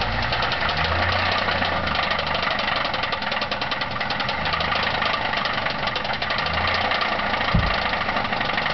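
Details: Ford Thunderbird with a bad 3.8 V6 idling: a steady, sharp metallic rod knock at engine speed from a worn connecting rod bearing.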